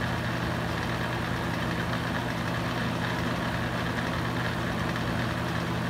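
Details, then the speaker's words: Used Hurricane box fan, running on high speed: steady loud drone with a low buzzing hum and no change in rhythm. Vibration noise; cause unclear. "as you can tell it's definitely pretty noisy on high speed which is why I wouldn't even use it on highs speed to keep it but if it's so noisy"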